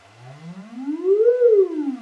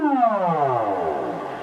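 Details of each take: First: Celestion Ditton 25 T1600 woofer, stored 28 years and previously scratchy, on an audio sweep with the spider held centred by hand: tone glides up and down twice with no scratching; voice coil moves freely. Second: Celestion Ditton 25 T1600 woofer, stored 28 years, played a falling audio sweep while the spider is pushed slightly off centre by hand: raspy grating buzz as the voice coil rubs the magnet gap.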